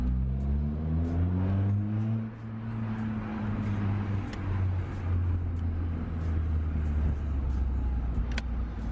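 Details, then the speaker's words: Ford Fiesta Zetec S on its first drive after repairs, with spongy brakes and the ABS and traction control lights on: a strong, even exhaust note pulling cleanly through the revs with smooth gear changes and no knocks. Engine and exhaust are normal and nippy. "Oh my goodness. We're moving. Sounds good though. It's nippy."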